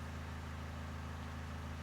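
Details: 2013 Nissan NV200 1.5 dCi diesel van after the fuel supply was checked and fixed (extended-crank complaint, codes P0190/P0087): steady, even idle with a smooth low throb, no misses or knocks.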